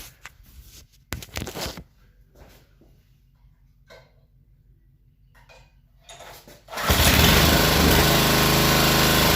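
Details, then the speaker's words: Coleman Powermate 2250 W generator after carburetor rebuild with new gaskets and tank cleaned of dissolved sponge debris: starts on one pull, idle speed surges up and down then begins settling; hunting, much improved. "all right so it started on one pull but its hunting a little bit to try to get settled in on an idol but you can see that's a huge improvement from before and now it's settling in here a little bit"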